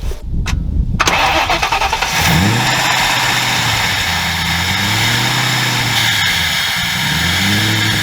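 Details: 2003 Mercury Marauder V8 after installing new ignition coils with siliconed valve cover o-rings: cranks and catches, throttle blips rise and fall cleanly, then a smooth idle with no obvious miss.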